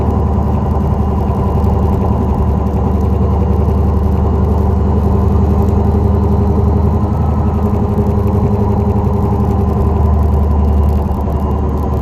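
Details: 2004 Dodge Neon SRT-4 driving: steady low hum droning under the road noise without changing character. Bad wheel bearing.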